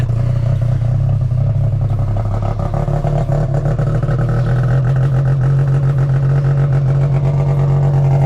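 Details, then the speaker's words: 2005 Arctic Cat Firecat F6 snowmobile, first start after sitting all year: two-stroke drone revs and holds high while the track never turns. Primary clutch is sticking and not engaging; it would likely stall if put down. "that's problem number one clutches stick in it'll do that forever if I put it down it'll either go ahead in this case it'll probably just stall out so that's why clutch got to go into this"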